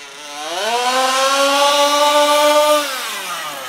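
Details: HPI Baja SS RC car with Zenoah G320 engine and V2 Dominator exhaust, rebuilt, on 91-octane ethanol-free fuel with Bel-Ray oil at 32:1; high-speed needle test: sharp buzz climbs to a steady high scream, holds, drops off, slightly lean (later corrected).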